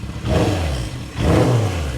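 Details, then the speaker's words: 1978 Kawasaki KZ650 four-cylinder revived for its first ride: two smooth rev blips rising and falling cleanly with no misses, knocks or rattles, sounding good around 5,000 rpm, though it occasionally hangs up on return. "rev pretty good. It's got a good sound when you get up around. It does have a good sound when you get up around 5,000 RPMs."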